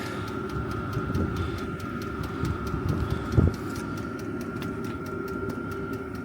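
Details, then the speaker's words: Chinese 12 V diesel heater burning kerosene, mounted outside a caravan and ducted in, just after first firing: steady blower rush with a constant high tone and regular fuel-pump ticking, drawing air in, pipe getting hot; running normally. "And now it's going like the clappers. And you can hear it drawing air in through there. That pipe's getting hot now."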